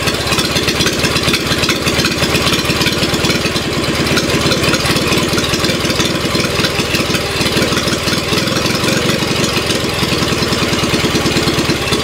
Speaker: it sounds like a two-cylinder it doesn't sound like a one cylinder running twice as fast